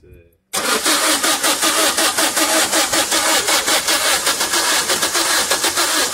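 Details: 2008 Vauxhall Combo diesel, no fault codes, fuel pressure reading 0 kPa and scan tool losing PCM comms while cranking: starter turns the engine in steady, even pulses for six seconds, never firing; cranks but won't start.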